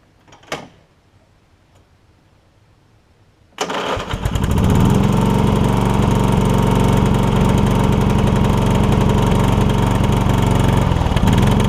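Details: Toro Wheel Horse 1232XL hauler with 12.5 hp Briggs single, after Hipa carburetor kit install: engine catches and settles into strong, even thump at steady speed, no misfire; heavy exhaust smoke, likely flooded with gas. Normal running.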